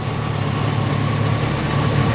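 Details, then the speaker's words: Grinnall Scorpion with a newly fitted radiator cooling fan, engine idling about 10 minutes until the fan kicks in: a steady, even rush of air with no rubbing or rattle, pumping warm air out. The fan is working normally. "it really was pumping lots of warm air out so it seems it's doing its job"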